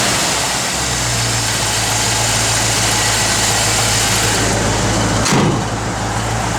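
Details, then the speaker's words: Restored 1957 Chevrolet 210 Wagon, 350 ci V8 with Edelbrock 4-barrel and aluminum intake, GM double-hump heads, MSD 6AL ignition, dual exhaust: steady, even low burble at idle with no misses, knocks or ticks; healthy idle. "You can go ahead and fire it up, Nathan. Original door handles. Runs out excellent."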